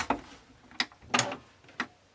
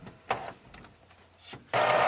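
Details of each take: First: Epson ET-2710 printer that flashes two red lights after scanning: a few uneven mechanical clunks and scrapes about half a second apart, confirmed as coming from the scanner, in a quiet room; cause unclear. Scanner mechanism grinding noise. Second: Epson ET-2710 printer, partly disassembled after a two-red-light error following a scan: a few soft clicks, then a short smooth whir as the print head carriage sweeps across. Normal carriage movement; the fault noise is traced to the scanner.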